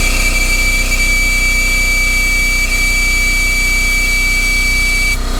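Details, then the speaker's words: Coolant vacuum refill tool on a 2011 Audi S4 B8 just fitted with a 2013 CGXC supercharged 3.0T engine: steady hissing air rush with a thin high whistle that cuts off, usually meaning full vacuum has been reached (otherwise possible tool failure). "noise pretty much indicates either either the failure of this tool or typically it indicates that I am reached the most vacuum that I can pull from the system"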